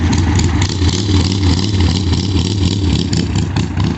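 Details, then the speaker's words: 1998 Suzuki Katana 600 four-cylinder motorcycle at steady smooth idle after repair: pinched diaphragm on cylinder straightened, carb jets cleaned and tuned; now idles great, runs great and pulls very hard, no misses or ticking. "the thing is a freaking rocket now runs great Idol's great pulls very hard"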